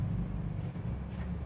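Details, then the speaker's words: Maspion box fan powered on but dead. Steady low mains hum with no blade whir. It only turns when spun by hand, either direction. Motor hums but does not start because the motor's speed winding lead is broken. "Betul mati ya, mau berdengung."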